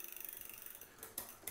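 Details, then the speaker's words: New Cyrusher Bandit e-bike during assembly: quick light freewheel ticking then sharp isolated clicks as the chain tries to climb to the next gear; rear derailleur indexing out of adjustment, corrected by turning the barrel adjuster. "so it means it needs to go up so it's trying to go uh up to the next gear so I'm going to grab this Barrel adjuster and just give it a little turn right there"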